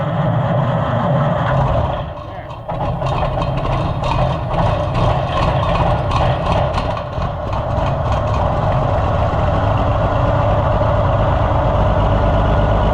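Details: Oliver 1650/1655 tractor after new Delco-style distributor swap, after struggling with glazed new points and adjusting timing: engine dips, then catches and settles to a steady, even idle with no misfire; running properly.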